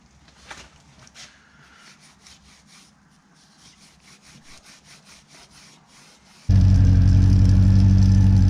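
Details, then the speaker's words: Honda CB400 V-Tec, sat for years, after fuel pump replacement, low on fuel: after a quiet stretch engine catches and settles into steady, even hum; runs smoothly on all four cylinders, so injectors not blocked. "all right really happy to hear that thing run i'm starting to get worried that the injectors might have been blocked and needed to be cleaned and stuff so the fact that it ran on all four and ran smooth and beautiful just makes me really happy"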